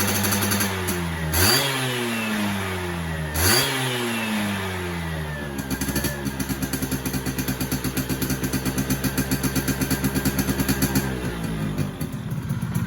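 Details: Yamaha F1ZR 110 two-stroke after fitting a ported cylinder block, standard exhaust; crackling through quick blips rising and falling cleanly, then settling to a crisp even buzzing idle; runs free and healthy.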